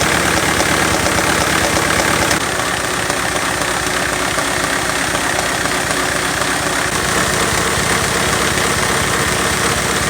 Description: Lego Engine Knock on my V8 after installing new lifters.